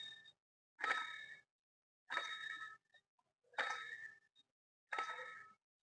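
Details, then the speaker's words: Chevrolet Beat diesel, old water pump removed and spun by hand: a slow metallic ringing scrape about every 1.5 seconds. The worn bearing has heavy play and tilts under belt load, causing the clanking noise at engine start. "ഈ ഒരു sound ആണ് നമ്മൾ നല്ല രീതിയിൽ start ചെയ്യുമ്പോൾ കേൾക്കുന്ന means ബെൽറ്റിന്റെ load വരുമ്പോഴേക്കും ഇരു സൈഡിലോട്ട് ചരിയാൻ തുടങ്ങും"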